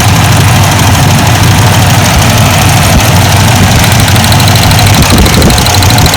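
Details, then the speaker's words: 1994 Ford Ranger at idle, plug wires pulled one by one at the coil: heavy uneven loping idle with irregular thumps, pulling this wire changes nothing; owner suspects that cylinder's spark plug is bad. "I pulled this one nothing happened it's still running rough and everything and I know it's making to it"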